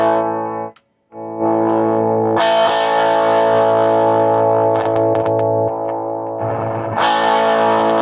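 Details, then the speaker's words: 1962 Gibson GA-5T Skylark tube amp with a 12-inch speaker, after the pot was only sprayed with cleaner: distorted guitar chords with irregular scratchy crackles bursting through the sustain; static persists, so the pot must be replaced. "yeah that's not going to cut it so uh the fader f5 let us down on this one so we're going to have to go in and change the pot which is a bunch of work that i didn't want to do but got to do what you got to do"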